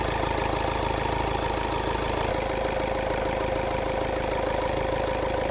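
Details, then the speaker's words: Diesel engine after severe overheat, revved: even rapid knock and thin whistle stepping down in pitch, turbo throwing oil and smoke; turbocharger bearing diagnosed as broken, new bearing needed. "Isolate muna natin yung ingay. Ito sira ito. Itong bearing na to sira yan ha."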